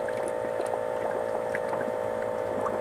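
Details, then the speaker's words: 1997 Honda Civic 1.6L SOHC VTEC, engine cold, homemade leak-down tester at 100 PSI on one cylinder: irregular pops and gurgles over steady hum as air bubbles through radiator coolant, combustion leak from suspected blown head gasket or cracked head. "ready watch this here and watch that that's a 100 PSI right there so we definitely got a problem in this cylinder"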